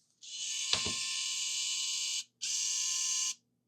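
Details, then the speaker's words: Nintendo Wii disc drive after swapping in a working replacement part for one that spun when it shouldn't: loud, even high whir that holds, stops, then spins up smoothly; still loud but now sounds normal. "That sounds completely different. I mean, it's still loud, but I think that's actually normal now."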